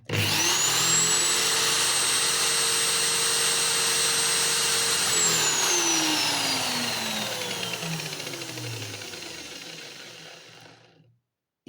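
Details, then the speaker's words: Old homemade disc sander built from a drill with a 180 mm sanding disc, running at no load near maximum speed: loud, harsh high-pitched whine with a roar behind it, pitch falling as it spins down; far too noisy. "ну шумит она шумит как чёрт знает что у кого есть мастерские знают что шум идёт отовсюду"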